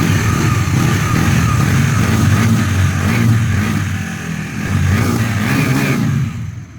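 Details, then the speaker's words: Bajaj Dominar NS400Z at about 3,000 km after its service, which fixed a loose chain that had been slapping: engine revs up and down cleanly with no chain knocking. "Mas eu que tava aqui no ao vivo, eu consegui escutar a batida da corrente folgada e agora tá show de bola. Não tá batendo nada."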